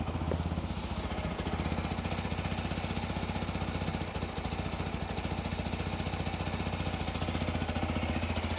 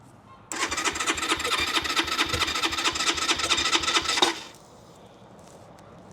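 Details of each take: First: Keeway RKR 125 motorcycle, 6,430 miles, after new spark plugs with a booster pack on: small single idles with a quick, even putter at a steady pace, no misses or knocks; running normally, though a bit hesitant. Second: Keeway RKR 125 motorcycle, 6,430 miles, bought sight unseen: about four seconds of even cranking with no firing while the fuel pump runs and relays click. A weak battery is suspected; crank no start.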